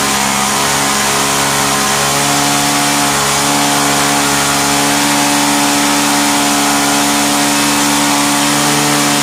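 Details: Vintage Hot Wheels R1NX gas go-kart that sat about 10 years, its small single-cylinder engine run with the carb cover off: steady but slightly uneven buzzing at high revs, running rough. The owner suspects the mixture needs the cover's restriction or an adjustment.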